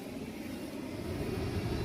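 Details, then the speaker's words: Rooftop HVAC unit blower running during a walk-around checking all blowers for a reported noise (suspected belt squeal); belt looks okay, constant even rush and hum with no squeal, scrape or knock: normal blower operation. "This one's running. Belt looks okay. No abnormal noises on this"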